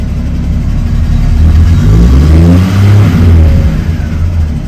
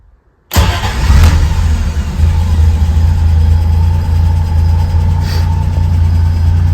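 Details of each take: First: Triumph TR6 inline-six after EFI kit install, warm start in neutral: smooth blips up from idle settling back evenly, no misses or stumbles; normal revving, fuel injection responding well. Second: Triumph TR6 with a newly installed EFI kit, started warm with the transmission in neutral and the fuel pump audible. It catches instantly and settles to a slow, steady hum with no misfire; idle sits a little low and should creep up.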